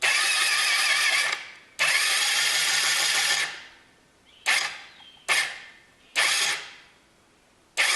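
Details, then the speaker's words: A 2004 Yamaha Zuma 50 scooter with a no-start problem: several short, fast, high starter whirs, and the engine spins but never fires. The mechanic suspects the starter clutch to belt-drive faces are worn with too much play, so they do not hold together. "So I think what the problem is with this face that wore on both of these components, there's too much play in between them, and even with the proper torque and everything on the nut, those aren't held together."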